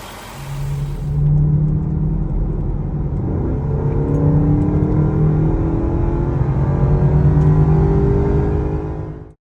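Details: 2011 Range Rover HSE 5.0 naturally aspirated V8 at 125k miles, after replacing the worn timing chain tensioners (chains kept, zip tie method): steady, even hum with no ticking or rattle from the front, normal smooth running.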